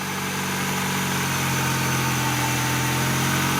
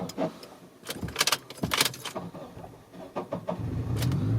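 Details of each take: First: 2001 Honda CR-V after fixing a grinding starter; the previous installer had left out the second starter bolt, now fitted; it starts well and idles steadily with an even low hum and no grinding, normal idle. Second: 2001 Honda CR-V, battery a few months old: uneven, harsh grinding bursts while cranking; it takes a couple of tries before catching. A loose, misaligned starter is failing and is to be replaced.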